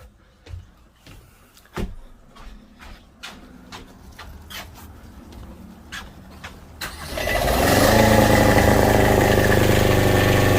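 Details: Boat generator after refitting fuel lines and bleeding fuel system: some seconds of light ticking, then catches cleanly and settles into a steady even run with no misses; normal start and run.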